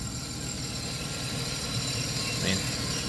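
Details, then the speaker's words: 1994 Chrysler Town & Country AWD, parked about a year, with a seeping O-ring fuel leak: steady, even low idle with a smooth hum and no knocks or misses. Normal idle. "it's running good right now seems fine"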